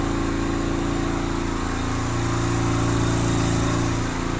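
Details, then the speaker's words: 2007 Yamaha Virago 250 V-twin, first start after electrical repair, with air box off: even, fast beat holding high and steady with no dip; the idle is hanging high, owner plans to adjust the air-fuel mixture screw. "Well, that sounds better. The idle's kind of high."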